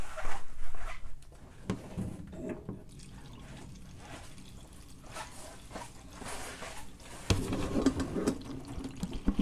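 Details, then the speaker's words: Ford Model A that won't start, daily driver, K&N air filter clear: fuel line opened at the carburetor gushes a strong, steady splash with no faltering; normal fuel flow to the carburetor. "Oh yeah, plenty of fuel flow. So that's a check. We're getting fuel to the carburetor."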